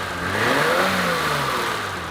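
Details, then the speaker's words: 1988 BMW with fuel-injected straight-six and manually adjusted screw-and-locknut valves, revving then idling: light busy clatter over the exhaust, no backfiring; valves need adjusting due to excessive valve lash. "no backfiring anything i carry a little bit of clattering if i own a car like this i'd be a fanatic first thing i'd do is adjust the valves"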